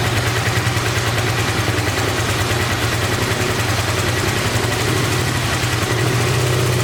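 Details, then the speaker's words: 1986 Honda VT500 Shadow V-twin, revived after years sitting, idling while warming up: lumpy uneven idle with hollow beat, only front cylinder firing; rear cylinder dead, owner suspects ignition coil or mice-eaten coil wire, checking spark. "so let's get a plug and see if this coil is even working because for some reason that cylinder is still not here"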